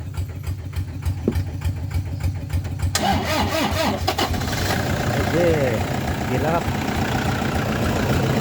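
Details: Pickup truck, started after about 20 minutes of charging its flat battery through a 20 m cable from a walk-behind tractor. The starter cranks briefly, then the engine catches and settles into a steady, even idle with no misses or knocks; a healthy start.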